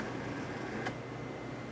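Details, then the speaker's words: Jura Impressa F9 espresso machine after encoder replacement for error 8: smooth even motor hum with one short click as the brew unit moves into the work position, with no grinding or skipping. Normal brew unit drive. "as you can hear the grinder is definitely grinding coffee going into the bridge unit is going from the on position into the work position"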